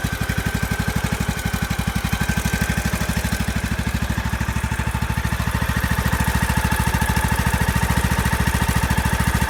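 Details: Craftsman YS4500 lawn tractor with 20hp Briggs & Stratton Intek after head gasket replacement fixing oil burning and a full tune-up: steady, even low thumping at a brisk idle, no knocks, misses or rattles; running healthy.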